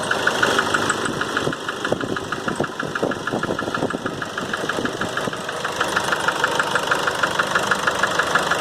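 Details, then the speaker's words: Nissan Frontier 2.5 diesel, 2008, 187,886 km, slow to start: sharp regular tapping about three per second over idle, hammering hard when throttle is released; knock from head gasket burnt between cylinders. "quando se acelera e solta ela bate muito forte ele fica mesmo barulho"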